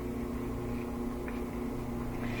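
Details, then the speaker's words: Whirlpool gas dryer, possibly Series 80, on a timed program: steady motor hum with no drum tumbling, and the drum spins freely by hand; the drive belt has slipped off the motor pulley and idler or broken. "it's not spinning the clothes so it's probably the belt that slipped off or the belt has broken if we go to time program we start it you can hear the motor"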